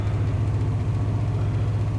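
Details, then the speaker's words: 1998 Chevy Vortec V8 truck started after about 10-15 years sitting, following a Passlock reset and oil in the cylinders: deep, lumpy, slightly irregular idle, percolating rather than smooth, while being run out of fuel. "she's definitely percolating."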